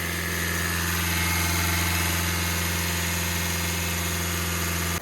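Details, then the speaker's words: Hyundai Creta diesel, no-start after running dry caused by faulty injectors, now repaired: steady clatter at a held, slightly raised idle, even beat, no misfire or knock, then cuts off; pipe leak noted; runs normally. "तो guys finally गाड़ी हमारी start हो चुकी है।"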